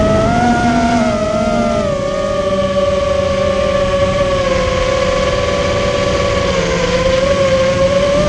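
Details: Immersion Vortex 250 Pro quadcopter motors on test run after fixing bad bearing sounds, which the owner thinks are fixed; one motor slightly warm: clean steady whine dipping and recovering with throttle, no rasp or rattle. Normal running.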